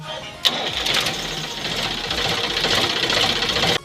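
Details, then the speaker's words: Sonalika tractor after self-starter repair and refit: quick crank catches at once and the engine settles into a steady run; starter now engaging and working cleanly. "तो दोस्तों जैसे कि आपने देखा tractor हमारा एकदम अच्छे से स्टार्ट हो रहा है।"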